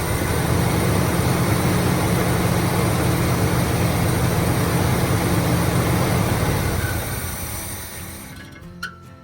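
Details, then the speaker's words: 1972 Chevy C10 402 big block, flood survivor unrun about 30 years, after carb inlet filter work; runs rough and loud about six seconds, then sags and dies: won't hold idle, fuel delivery suspected. "Um, starts up on its own as you saw, but it doesn't stay idling."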